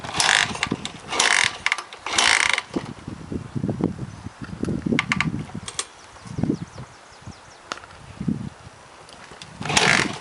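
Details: 2006 Suzuki DR-Z125 kicked repeatedly, each a short churning turnover that never catches; kicks over but won't start.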